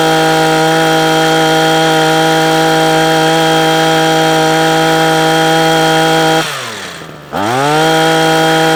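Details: Parkside two-stroke hedge trimmer after carburetor repair, previously cutting out after two or three minutes: steady high buzz, brief dip, picks back up cleanly without stalling; running healthy.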